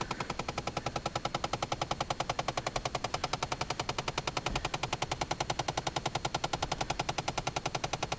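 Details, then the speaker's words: 2011 Chevy Impala with fast, even ratchet-like clicking from behind the dash/console, starting at any time whether the car is running or not; cause unknown. "feels like it's and sounds like it's in behind the console I can feel it right here on the corner and I can hear it what the crap is that noise"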